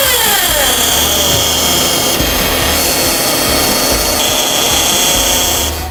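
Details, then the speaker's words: Toyota Alphard with engine idling, microphone at the transmission: hissy, high-pitched steady whine from the automatic CVT, an abnormal transmission noise. "Teman-teman udah dengar di bagian maticnya itu ada bunyi."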